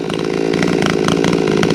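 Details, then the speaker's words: Chainsaw with a new muffler idles throaty and uneven with a light popping crackle after bucking rounds; owner suspects a lost exhaust port gasket causing an exhaust leak, not yet checked. "That thing sounds like it's popping a little bit. It sounds throaty as hell, but I wonder if I maybe lost the gasket on the exhaust port, the new muffler."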